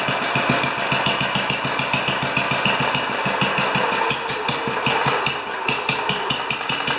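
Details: 10 HP Kohler K241 single-cylinder engine, turned down, after installing a modern plastic fuel pump: steady putt with crisp, evenly spaced firing pulses, no knocks or misses; running healthy.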